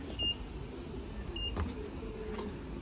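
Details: Old LG washer standing slightly tilted, running in spin mode: a steady low hum of the drum spinning evenly and two short high panel beeps.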